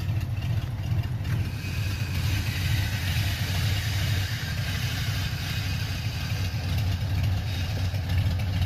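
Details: 1985 Mustang GT T-top V8, first start in years: deep, steady idle with a low rumble and even firing, no misses or knocks; runs cleanly and holds idle.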